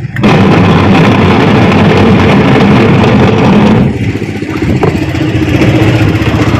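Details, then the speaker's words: Washing machine spinning slowly and noisily: loud, rough grinding drone from the drive that eases off while the spin stays slow; the gearbox is identified as the source of the noise and slow spin. "Oo nga mabagal nga at saka maingay mabagal at maingay Malamang titignan natin ang ang gearbox Malamang gearbox"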